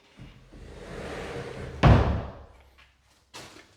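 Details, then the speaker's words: Prefinished white oak pocket door after a noise was cured and rollers clipped in; soft even rolling about 1.5 seconds then one solid thump: slides and closes well. "Now I don't hear that noise anymore, except for the rollers doing their job. That's all I could ever hope for."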